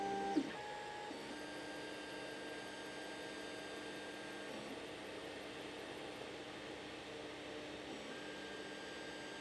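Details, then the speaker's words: 3D printer after fitting NEMA17 stepper motor dampers on the Y axis: soft, even stepper hum with smooth moves and no harsh buzz; Y axis much quieter. "so you see on the wide that we've got certainly a much quieter y-axis and now we should do the X"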